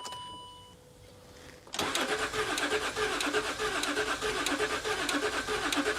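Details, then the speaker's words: L320 Range Rover Sport non-runner, long unused: a click then steady rhythmic starter churn, engine never fires; owners doubt it's just fuel, suspect oil not circulating after long storage; crank no start. "Right, so we've established it doesn't start there."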